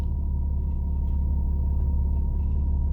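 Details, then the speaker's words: 2001 Mitsubishi Eclipse with new upstream oxygen sensors: low, steady rumble with an even beat and no stumbles; smooth idle, no misfire, short and long term fuel trims look good. "Short term looks great. Long term pretty good. It's not misfiring. It's idling pretty smooth. Well, as smooth as this car can."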